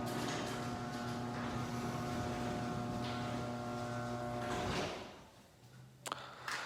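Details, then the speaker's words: Garage door opener after lubrication: smooth, even motor hum with a light steady drone for about four and a half seconds, then a clean stop. It used to be really loud and is now unbelievably quiet. "these Oprah's used to be really loud and annoying and when we got a lubricated unbelievably quiet"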